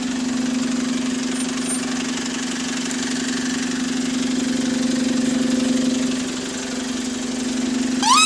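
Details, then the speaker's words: Bus SLN 36629 on route 273 at diesel idle: steady low-pitched hum throughout, odd noise seeming to come from somewhere toward the front, cause unknown; abnormal noise. "There's a weird noise I'm hearing, bro, somewhere. I'm trying to investigate what that noise is."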